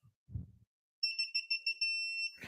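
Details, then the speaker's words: Mazda Miata, torque wrench on front lug nut with parking brake on: six quick high beeps then one solid held tone when set torque is reached, before double-checking all nuts. "when you hear the solid tone that means you're [Music] there and then because I have OCD really bad I will go back and just double check everything"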